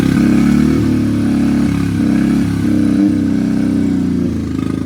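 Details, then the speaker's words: Autozam AZ-1 at idle after clearing a clogged exhaust, before its bad distributor cap and wires were found. It sounds horrible, a lumpy stumbling idle seemingly running on only two cylinders; misfire. "oh my God that sounds horrible yeah let me see I probably followed at least one plug too [Music] there we go still running off two I think"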